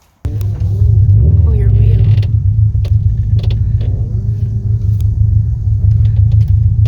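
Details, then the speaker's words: Car on Airlift Performance air suspension: under low road rumble, sharp irregular clunks over bumps while driving, heard everywhere; worn strut-top pillowball bearing, fixed by removing the struts and replacing the bearing. "uh and yeah it's not nice it sounds like it's really awkward driving around and it's just like er everywhere"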